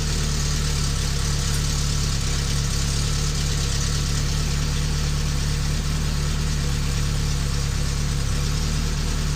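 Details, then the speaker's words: 1972 Fiat 850 Sport Spider, 0.9 L 903 engine, idle set via timing to about 1,000 rpm versus 850 spec: steady, even idle sitting a little fast; possibly over-advanced ignition timing holding it above spec. "I'm going to put it around 1,000 RPM might be even a little too advanced cuz this is supposed to idle at"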